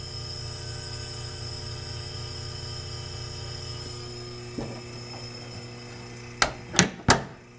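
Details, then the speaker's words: GE Monitor Top DR-1 antique refrigerator compressor running with nitrogen charge on the high side, float valve forced open, unit warm from an overnight heater: steady low hum with faint hiss of gas flow, then handling knocks. "It's building up. I don't know if you can hear it or not, but it sounds entirely different. You can hear the nitrogen flowing through there with the float forced open."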